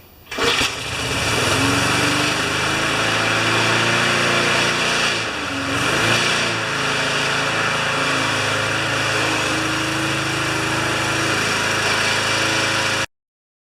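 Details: Older Briggs mower that had an intermittent spark, missing more as it warmed; flywheel was removed for repair. Started at 3/4 throttle, catches on the pull and settles into a steady, even high drone with no misses or stumbles. Running healthy.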